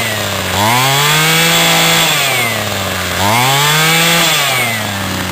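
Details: Homelite C26 two-stroke trimmer after carburetor cleaning and adjustment, fuel lines and freed stuck piston rings: buzz rises smoothly on two throttle blips and drops back cleanly each time; normal running.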